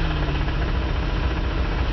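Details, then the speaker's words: 1984 Oldsmobile Ciera convertible with burned crankshaft and rod bearings, needing an engine rebuild: faint dull rod knock under a low warm idle rumble while yard-driving; putting it in gear slows the knocking. "That's a rod knock for you. So if put it in gear to slow it down, stop the knocking."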